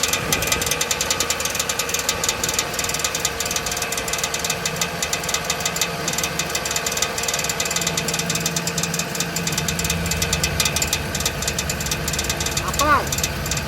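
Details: Jeep Liberty V6 with a faulty starter motor whose pinion touches the automatic transmission flexplate: steady idle, revs blipped, with fast metallic rattle and scrape over it; noise appeared after driving.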